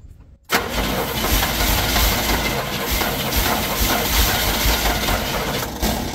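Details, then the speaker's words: Chevy squarebody truck parked 19 years: steady cranking with an uneven rumble that never catches, right after distributor timing was adjusted; no backfiring, owner thinks it's close and tries a little gas. Crank no start, cause unconfirmed. "maybe that's not strong enough it wants to but it doesn't it's not backfiring no not a bit it's telling me we're probably pretty close"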